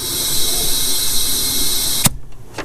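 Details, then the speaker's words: Turbocharged 2006 Subaru Impreza wagon (NA/T) at about 100,000 miles, under a boost leak test with the intake filled with shop air: a loud, steady hiss that stops abruptly. Boost leak at an intercooler piping clamp, which was rusted and broke when tightened. "It sounds like it's coming from my freaking intercooler too. I could definitely hear my intercooler piping leaking right here."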